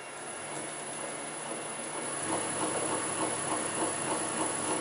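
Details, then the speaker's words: Land Rover LT230 transfer box rebuilt with new output ball bearings and seals, spun on the bench: rhythmic clicking rumble about three per second over a steady whirr; centre diff ruled out, bad tooth suspected, unconfirmed. "I need now is that a bad tooth or a bad bar it picking up"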